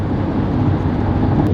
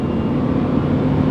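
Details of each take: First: Honda Element inside the cabin at about 80 mph on the freeway, AC off, after the door weather stripping was replaced: steady low road rumble with no wind whistle, much quieter than before; normal road noise. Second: Honda Element on the freeway at 40–75 mph, AC off, heard inside the cabin. Steady loud roar and rushing hiss with no engine tone standing out. Worn door weather stripping is letting in road noise; later replaced.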